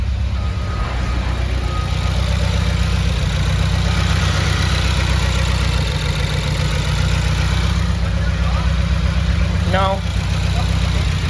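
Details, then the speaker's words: Subaru FA20, data logging as it warmed up: steady low idle with faint uneven stumble; cylinder 4 roughness count dropped to zero then rose again once warm; one-cylinder misfire, cause unknown. "y up to 22. 22 on cylinder four 23. all right we got rough to turn off okay turn it on again"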